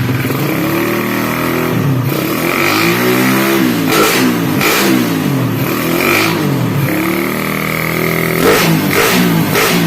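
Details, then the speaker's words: Suzuki Satria FU single-cylinder, performance-tuned, electric-started, valve clearance 0.20 intake and 0.30 exhaust: revs rise and fall smoothly with an even, clean exhaust note and no knocking; engine runs normally and smoothly. "Oke Guys dan suara mesinnya seperti ini ya masih tetap halus meskipun Celah klebnya 0,20 yang in dan 0,30 yang X"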